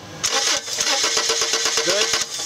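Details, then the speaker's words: 1995 Subaru Legacy 2.2 cranking steadily with no start and no spark. The test light shows no flicker at the coil though coil-to-igniter wiring tests good; a faulty igniter was the fix. "no control no flicker again so what we've addressed in this test is that the wiring integrity between the igniter and the coil is good now we got to move on"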